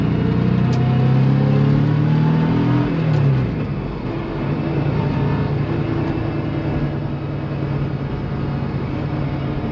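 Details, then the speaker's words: 1999 Porsche 911 Carrera C2 with semi-solid transmission and engine mounts and numeric shifter fitted, on the freeway at higher revs, GoPro in the cabin: strong deep even drone; slight transmission rattle with clutch in that goes away; normal engine noise. "I'm trying to get a little bit of an example of the sound coming through here at higher revs for you guys there was quite a bit of traffic on the freeway but you can hear a little like rattling the transmission with the clutch in that goes away"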